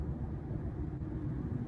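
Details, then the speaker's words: Ford F-150 driving after suspension work and new wheel bearings: only low even tire roar, no rumble that was earlier heard around 40 mph; noise most likely was wheel bearings, now normal road noise. "Se me hace que si ya no le escucho el rumbido porque sí le llegué a escuchar un rumbido ya cuando iba más baja velocidad ya no se escucha."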